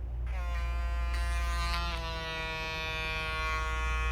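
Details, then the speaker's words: Babyliss Pro X T 45 hair clipper with guard attachment fitted: starts and settles into a steady, even buzz with no rattle; guard fits properly. "When I put this guard on it attachment, you hear anything? Do you hear a rattle or anything? No."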